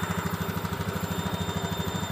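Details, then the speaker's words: Honda Beat ESP injection scooter with the idle adjusted to about 1300–1500 rpm and the bolt still untightened for testing: a steady single-cylinder putter of about ten even pulses a second with no hunting or dropouts. Normal idle. "untuk Ini belum saya Kencangkan untuk bautnya untuk mencoba aja nyatanya udah pas udah bisa disetel"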